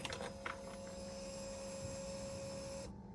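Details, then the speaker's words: 50cc Yamaha Vino fuel-injected scooter after repair, with a new battery and the injector solenoid plugged back in: a couple of clicks, then a steady mid-pitched hum of about three seconds that cuts off cleanly. The fuel pump primes normally at key-on. "okay I could hear the fuel pump going I've got the new battery in as well let's see what happens"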